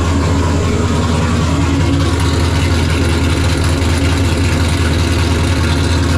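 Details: LS V8 in Nissan S14 after engine reinstall (pulled for oil leak), primed and fluids filled; steady deep rumble at even idle with no stumbles or misses; normal idle.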